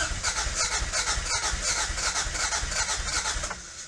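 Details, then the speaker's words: 1986 Toyota MR2 AW11 salvage-yard car, new fuel tank fitted but still not getting fuel to the engine: starter cranks at an even, quick rhythm, trying to fire but never catching, with rattling heard; owner suspects the injectors aren't working. "It's trying. It's trying. It's trying. Come on, baby. Come on, baby. It's trying."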